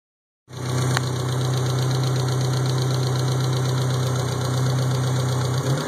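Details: Mitsubishi 4G63 engine in a first-generation Talon at idle: light, quick tick about four per second over the engine note; owner suspects lifter tick, not confirmed.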